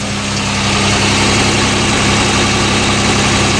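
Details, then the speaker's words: GMC truck with sticky valves, running on six cylinders again after a pushrod was put back in: steady, even low idle with a smooth regular beat and no stumble or miss; normal idle. "he's got six cylinder again all I did was push rod back in there starting it up there we'll see how it goes"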